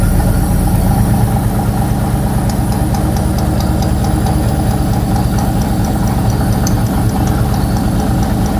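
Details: 1969 Ford Torino GT Fastback, 460 big-block V8, at idle: a low, fairly smooth idle with a faint tick that comes and goes. Owner suspects a noisy lifter, possibly cylinder number four, and fears cam wear.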